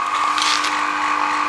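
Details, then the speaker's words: Commercial washing machine pump (88.2 ohms) on a variac at about 100–120 V: loud, steady, even mid-pitched hum with no knocks or rattles. Motor runs smoothly; no suction, so it needs gravity feed. "yeah no suction on that so this needs gravity to force the water down into it for it to work"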